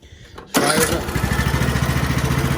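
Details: Craftsman LT2000 riding mower, 21 hp Briggs & Stratton, after a no-start fix: new plug forced into a stripped hole. Quick catch, then a steady, even single-cylinder thump at idle; starts readily, runs normally.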